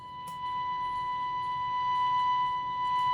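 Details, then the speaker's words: Philips B0X19U tube radio under restoration, after IF alignment at 452 kHz with speaker reconnected: signal generator's steady clean whistle near 1 kHz over a faint low hum, now clearer and crisper; normal test tone. "No sé si lo aprecian, pero yo lo aprecio mucho más claro y nítido. ¿Ok?"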